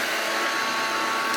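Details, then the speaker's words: Hoover Junior 1334 vacuum cleaner, loft find: steady harsh high whine with raspy edge over motor hum; a motor bearing is completely worn, with visible play in the shaft. "Oh yes, you can tell that one of the bearings is completely gone because moves it. Shouldn't be able to do that. So that is the play. That is why it sounds awful."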